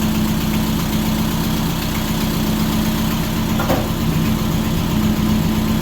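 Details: 1978 MG Midget, 4-speed manual with side-draft carbs and many modifications, revived after sitting neglected for years: steady, slightly lumpy four-cylinder idle at an even pace with no knocks; sounds healthy.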